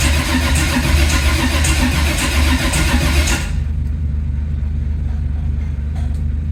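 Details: 1980 Camaro on its first start attempt: steady starter cranking at about 2.5 turns a second for three seconds with no catch, then it stops. Fuel supply is plentiful.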